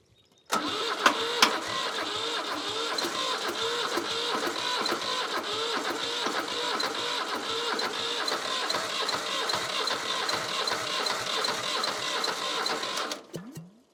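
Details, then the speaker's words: Old Shibaura diesel tractor that sat for years, after glow plugs and starter fluid on a fresh starter: about fourteen seconds of steady cranking at about three strokes a second, never catches; owner suspects more glow plug needed or air in fuel lines. "It wants to. It really, it's on the verge. It's just that little. More glow plug."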